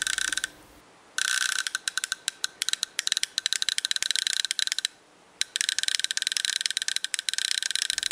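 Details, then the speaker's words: 8th Note DIY relay-based stepped attenuator prototype: rapid bursts of crisp, high-pitched relay clicks as the volume knob is turned, normal switching after the 3-second delayed output turns on. "turn the power on the delayed output turns on in 3 seconds as we turn the knob the controller says the desired volume you can hear the delays clicking"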